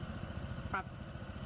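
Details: Honda PCX160 scooter, about 27,000 km, after CVT cleaning and genuine belt replacement to cure noisy belt drive knocking at idle and throttle: low soft even idle rumble, one brief click, no rattle or grind. Normal idle.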